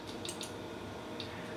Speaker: And what is happening is I increase that voltage, is the magnetic field becomes strong enough to push that lever down, that spring-loaded lever down.